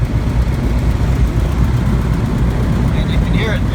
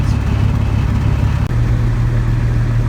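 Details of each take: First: Van's RV-12 aircraft engine at annual inspection, cold, crossover tube removed, twin carbs found quite a bit out of sync: uneven, lumpy idle with wavering low drone; rough partly from cold, partly from crossover tube removal; rough idle, carburetors out of sync. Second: Van's RV-12 aircraft engine at annual inspection, warming up toward operating temperature (58 of 120): steady, even low drone without surging or misfiring, running much more smoothly than before; normal smooth running.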